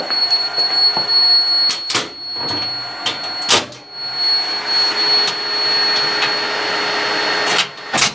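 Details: DCZ70 robot running and moving: a steady thin high-pitched buzz over motor hum, broken by bumps and knocks; an abnormal buzzing noise, cause unclear.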